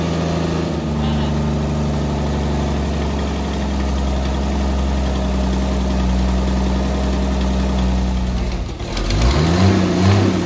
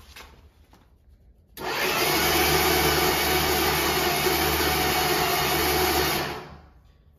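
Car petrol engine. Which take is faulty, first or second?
second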